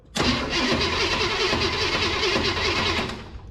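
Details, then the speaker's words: Abandoned 1965 Ford Ranchero 4x4, long parked, cranked via alligator-clipped jumper through old cables: starter turns engine at an uneven lumpy beat, about 2.5 lumps per second, some compression strokes heavier; cause unclear, noise seems from one side. "I hear the lump now yeah lumpy maybe that's why they parked this beautiful piece of Machinery"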